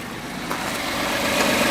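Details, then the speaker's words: F-150 with about 104,000 km, warm and idling; a tapping that sounded like a valve, heard mostly when cold, is gone, leaving a light, quick ticking that is just normal fuel injector firing. "It sounded like a valve, but it doesn't sound bad now. That's just the injectors you hear fire in there now."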